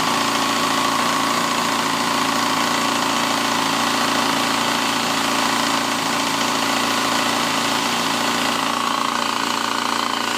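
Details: 2007 Yamaha FZ6 idling with quick light ticking, three or four per second: primary gear chatter. A piece of clutch wedged between the crankshaft gear and clutch basket gear built up on the gears so they don't mesh. A new cam chain tensioner, valve shims and oil pump chain didn't fix it; a used engine swap did.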